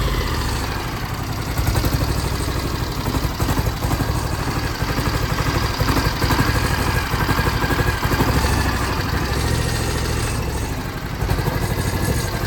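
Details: 2006 John Deere X720, about 722 hours: lumpy V-twin beat with skipped firings; right cylinder misfires after about an hour of hard mowing, persisting after plug, coil and injector swaps, clearing when cooled.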